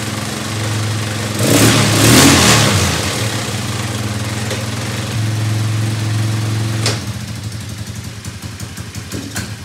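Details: Elstar 150cc single-gear 2WD quad bike revived after sitting in a shed, with a leak at the carburetor bottom: catches, revs briefly, holds an even beat, then drops to a lumpy, uneven idle, possibly from running out of fuel.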